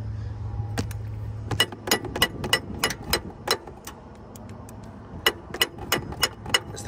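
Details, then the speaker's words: 2011 Lexus RX 350, no-crank, no-start: holding power to the starter while banging on the solenoid gives irregular sharp clicks and bangs about three a second, no cranking; starter motor fried. "fried yeah that's uh it's not gonna happen okay I give up gonna have to uh just replace this unit right here in the parking lot"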